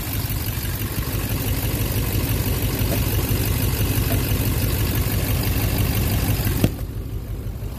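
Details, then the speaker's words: 2009 Silverado 3500 Duramax LMM diesel, 59,900 miles, intermittent knock since 57,500 miles, oil analysis clean: steady, even idle with the knock gone once the suspect injector (possibly number 5) is unplugged. "not fun now it's back it's gone yeah it's gone the knock is gone"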